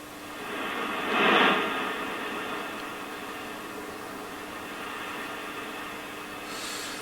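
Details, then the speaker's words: Yaesu FRG-7700 HF receiver after switch cleaning failed to cure the fault, during power supply board checks and capacitor replacement. A soft steady hiss with a faint whine follows switch-on, with one brief early surge. The fault remains and the cause is not yet found. "so let's power up that horn again as you can hear it hissing away"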